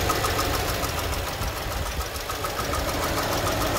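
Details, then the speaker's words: 2018 Mercedes-Benz A200 (W176), 160,000 miles: steady idle with a light, fairly regular tapping of about three or four knocks a second, an engine knock at idle; coolant also leaking. "I don't know if you can hear the knocking sound doesn't sound very good all right can you hear the knocking sound"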